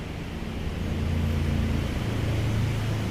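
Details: Motorcycle at a low, even idle after fixing a silent no-crank caused by being parked in sun and rain, traced to a corroded starter switch that was cleaned. It now runs normally with no knocks or misses.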